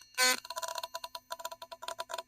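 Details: Philips Sonicare electric toothbrush in for repair, with badly soldered wires and a loose screw inside: irregular dry clicks and crackles, about eight to ten a second like a Geiger counter; repairer suspects the coil.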